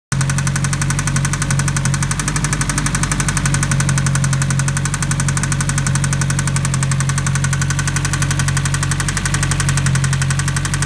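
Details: Mitsubishi Evo 9 at idle: loud, fast rhythmic knocking from the top of the engine, seemingly driver-side intake area of head; noise was rpm-dependent around 4000 rpm, now prevalent at idle.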